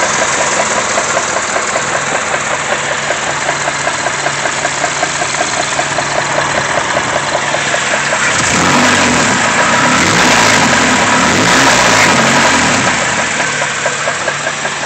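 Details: Car engine idling with a steady, regular knock of about two to three beats a second; the owner can't tell whether it is rod knock.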